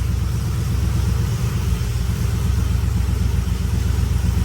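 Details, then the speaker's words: First start of a 2004 Yukon Denali 6.0 LQ4 V8 with LS3-style 6.2 top end (rectangular-port 823 heads, NNBS intake, 228/228 cam, 50lb injectors), brand-new exhaust, two-wheel-drive conversion: deep steady rumble with mild cam lope, no ticks or knocks; healthy idle. "first start uh the first start man with a brand new exhaust and hopefully two-wheel drive conversions all right then sounds good y'all [ __ ] sounds good to me"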